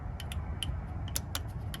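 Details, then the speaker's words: Mercury/Mariner 40 hp 3-cylinder outboard on a pontoon: sharp light clicks from the trim switch with no trim motor whir, because the relay and electrical connection box are disconnected. "and coming down to the electric trim which is on our outboard and as you can see nothing. You hear the clicking"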